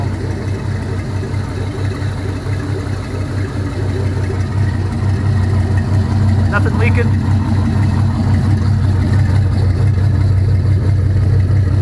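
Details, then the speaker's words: All-aluminum 5.3L L33 HO Gen 3 LS V8 on a test stand, cold start, open loop, charging at 13.4 V: quiet, steady, even idle with no ticking or knocking and no smoke; normal idle. "it's nice and quiet so sounds real good even in a cold start there's no smoke uh seems to be running pretty rude pretty well"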